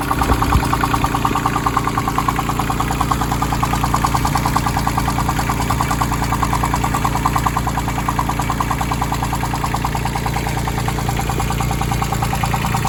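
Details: Branson 2500h tractor, A1100 diesel engine, about three weeks old with 38 engine hours, idling with a regular knock about three per second above the clatter; owner thought of rocker arms but doubts it, source unconfirmed: engine knocking at idle.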